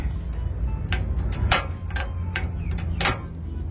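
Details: Gas stove that was hard to light, after a simple home fix: sharp, evenly spaced igniter clicks about two a second over a low hum as the burners light with a blue flame; the spark is working normally.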